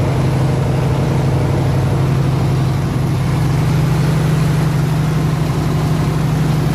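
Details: 302 V8 running an air compressor, at operating temperature (160 degrees) with 9 psi fuel pressure, on re-ended plug wires: steady, even idle with a smooth low beat and no misses, knocks or ticks; normal healthy idle.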